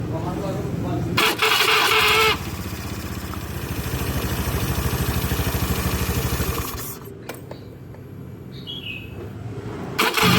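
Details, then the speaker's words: Honda Beat FI / Scoopy FI scooter cranking with a rough, rattling starter noise at about three pulses a second; the starter motor is dry inside, fixed by greasing the shaft and its seat. "Biasanya karena dia kering cuy di bagian dalamnya nih"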